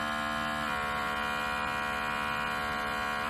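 A steady, even electric drone with a constant buzzy pitch and no knocks or surges; the pump is running normally.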